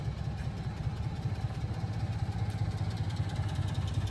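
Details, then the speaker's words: 1993 Honda Street 4WD van, carbureted engine, warmed up; idles steadily and evenly with no knocks or misses, staying smooth with the lights switched on. Normal idle. "so sometimes you have to give it just a tiny bit of gas on the warm [Music] starts yeah and then as you can see idles absolutely perfectly"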